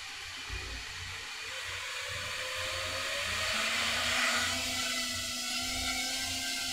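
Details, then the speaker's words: Small FPV quadcopter in flight after RPM filter tuning: smooth whir of motors climbing in pitch with the throttle, clean and steady with no rough buzzing; motors afterwards a little warm but not hot. "that sounds nice Motors are a little warm but not hot"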